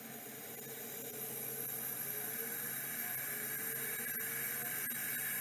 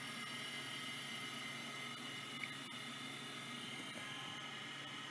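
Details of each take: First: Vintage 3425 hard drive labelled failed 6 of 94: thin whirring spin-up with wavering squeals and faint ticking, never settling into seeking; sounds awful, didn't seek at all and gave an error code. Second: Vintage Microscience HH-725B compact OEM stepper-motor hard drive seeking: faint quick ticking over a soft whir as heads step back and forth; seeking normally, healthy.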